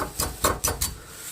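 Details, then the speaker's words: Dodge Neon lower motor mount after transmission install; bracket rocked up and down by hand gives a few sharp separate metal-on-metal clanks; mount bolts overtightened squish the bracket into contact; source of rattling noise. "And sometimes if you bolt the bushings and the arms down too tight, this metal bracket sometimes will get squished so tight it'll start to hit this metal part."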